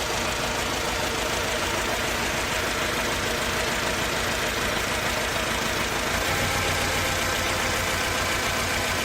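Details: Mercedes C200 petrol idle, uneven and lumpy, with an irregular stumble about three times a second, like cylinders dropping out. Backfiring and power loss on take-off. Coils and plugs tested as firing, cause unknown.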